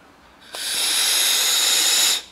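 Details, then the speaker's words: Yamaha XV 250 Virago vacuum fuel tap bench-tested on reserve with a vacuum gun: a steady airy hiss about a second and a half, then cuts off; air passes freely through the reserve with vacuum applied, working properly. "agora vou botar na reserva aí vocês vão ver com a sua praia é na verdade a reserva é os dois abertos só que só funciona com vá votar aqui num tá saindo pela reserva tá vendo mas se eu abrir"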